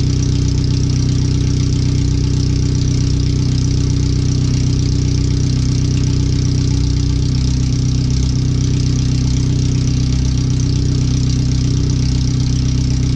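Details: First startup after a new header and fuel filter, with relocated O2 sensors and an added wideband; no exhaust past the header. Very loud, deep, steady idle thumping about three times a second with raw bark. The computer reads 5–7% rich.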